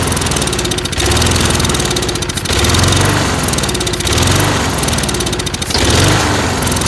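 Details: Lawn mower started while checking fuel squirting from the carb jet: it catches, then revs up and sags every second or two, hunting and nearly dying. It was fuel starvation from clogged channel holes in the float bowl bottom bolt, not yet cleaned.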